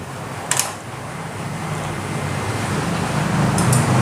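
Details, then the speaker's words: Honda Vario 150 no-start with a new battery and normal wiring, ECU, fuses and coil: two sharp starter clicks a few seconds apart with no cranking over a faint hum; cause is an aftermarket (KW) ACG socket into the ECU. "Nah, kalau di starter dia itu cuman bunyi cetek-cetek doang. Tuh. Nah, kayak gitu ya. Padahal strum aki normal semua."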